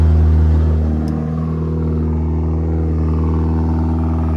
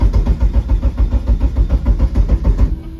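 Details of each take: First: Eagle Talon 420A engine on a DIYAutoTune MegaSquirt ECU: revs come down from a high drone and hold a strong, steady rumble without stumbling. Normal running. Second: Eagle Talon/Eclipse SRT4-type car on MegaSquirt ECU, fixed timing set to 10°: even cranking about three and a half pulses a second that never fires, then stops; ECU keeps losing crank sync. Crank no-start from trigger sync loss.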